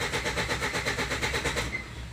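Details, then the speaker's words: Ford Endeavour that cranks but only starts with petrol in the intake: even cranking about eight pulses a second, barely starts then dies; low fuel rail pressure from return flow through leaking cylinder 4 injector. "there as you can see cranking it barely starts so let's see at cranking what the fuel rail pressure is"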